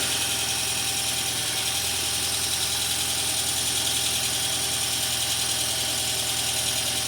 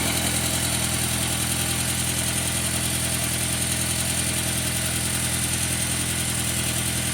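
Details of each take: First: 2002 VW Passat 1.8T wagon, first start after an engine swap in a car that had sat a while, oil change still pending: even idle with a light valvetrain clatter expected to quiet down. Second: 2002 VW Passat 1.8T after engine swap, second start with front end on: steady idle with sharp ticking puff about three times a second; suspected exhaust leak, location unknown.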